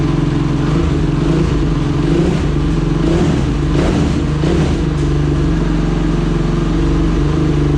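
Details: Honda TRX 450ER single after rebuild, first start with new fuel line, carburetor O-rings leaking gas: revving up and down with crisp even pulses, no knocks or rattles; engine sounds healthy, normal running.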